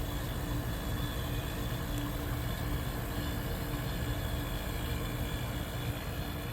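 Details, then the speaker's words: 1973 Westinghouse 25-pint dehumidifier, compressor dated early 1973, designed for low-operating-pressure R12 refrigerant, running with a low, soft, even hum and no rattle, knock or squeal; normal, quiet compressor operation. "this particular a is uh designed to run on the low operating pressure R12 so it's a much quieter running compressor"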